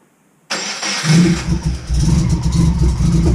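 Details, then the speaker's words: Golden Toaster car second start attempt after new spark plugs and leads; catches into uneven, surging idle with dips in loudness; rough running, suspected fueling issue, not confirmed. "Alright, so hopefully this is what it's going to fix. Because that sounds like it might be a fueling issue, and when you were letting onto the throttle..."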